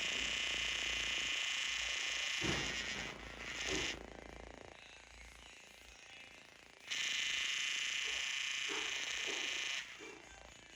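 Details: Brand-new Xiaomi Fimi X8 SE 2020 drone: harsh high-pitched buzz from the camera gimbal motor, cutting in and out in stretches of several seconds.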